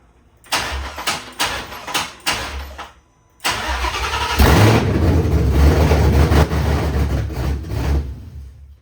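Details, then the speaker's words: 1966 Mustang fastback with Coyote V8 swap, PCM flashed back to stock, first-start wiring troubleshooting: a few short cranking bursts, then fires and runs about five seconds before dying; starts then stalls, cause unknown. "So okay, it ran for a bit and it turned off. I don't know what happened, but I was very excited to see the normal buttons working again."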